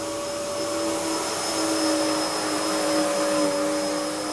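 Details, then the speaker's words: Hoover upright vacuum (model since 1997) running: steady loud motor whoosh with a constant high whirr from the brush roll, which is quite noisy, even and unbroken; running normally, just not quiet. "so yeah it's very very nice machine to use it's not the quietest machine it's all right when you've got it standing up right but that brush roll as I say it's quite noisy"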